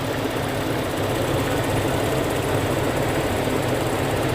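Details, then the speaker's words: 2000 Toyota Kijang Krista 1.8 EFI after oil change, nearly warm: smooth even idle with soft steady rumble, no ticking or misses; normal warm idle. "suara mesinnya udah mulai lebih tenang nah Nih kan lebih halus"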